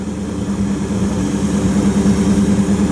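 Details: 1929 Chrysler 360 with Edelbrock AFB, after straightening bent metering rod (rich passenger side) and opening plug gaps from 0.020 to 0.035 in: steady, even idle with smooth hum, about 500 rpm higher than before, no missing.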